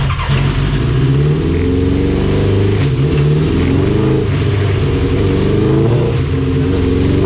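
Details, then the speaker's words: 1987 Suzuki GSX-R 1100 on the dyno after a main jet change: engine revs up but runs rough and blubbery low in the range, dipping from about 5,000 rpm; still running rich. "that was rich and we follow the plug change that pump real quick"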